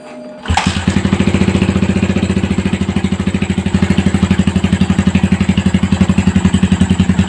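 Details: Old Yamaha Vixion before teardown: single cylinder starts and idles with a steady knock about four per second over the exhaust beat. Worn connecting rod big end with excessive play, clearance around 0.25 judged too loose.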